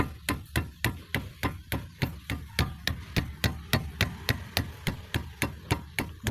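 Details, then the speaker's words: 2005 Toyota Vios/Limo Gen 1, front left wheel that clunked like metal on metal over rough roads, after tightening the loose bolt: quick, even thumps from striking the wheel, about three a second, with no loose clunk following any blow. "Nah, bisa kita coba di sini diketuk juga bisa. Nah, dia sudah enggak bunyi lagi ya."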